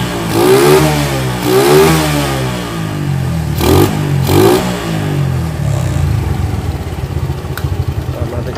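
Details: Suzuki Shogun 110 motorbike after carburetor cleaning and mixture setting: several quick clean throttle blips rise and fall smoothly, then settle to a steady idle; carburetion sounds healthy.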